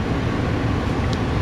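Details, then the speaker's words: Two-stage gas furnace with W jumpered to W2 while setting gas pressure: inducer kicks to second stage with a steady even low hum, no knocks or rattles, closing the second-stage pressure switch; normal. "what that will do is it'll kick the inducer into the second stage and you can hear that and closes the second stage pressure switch"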